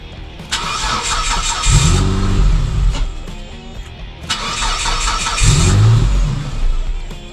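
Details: 2008 Mitsubishi Eclipse with a no-run complaint, flat-towed in: twice cranks, catches and revs briefly, then dies within a second or two, putting out a lot of smoke; no stored codes, final cause not found.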